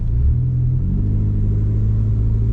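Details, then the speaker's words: 2004 PT Cruiser 2.4L, 181,475 miles, overheating but still cold, at idle: deep steady rumble with hollow, blatty edge; suspected exhaust leak plus coolant leak. "My technician senses indicate to me that it's got a coolant leak"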